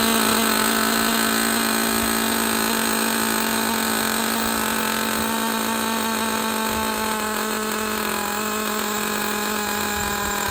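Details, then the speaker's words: Used Traxxas Jato with 2.5 nitro engine after opening idle gap and richening low-side needle; high, steady buzzing whine holding pitch without surging, running clean with no air leaks. "all right we we don't need to listen to this one anymore this one is running good no air leaks I mean this is what you want right here when you buy a used RC car"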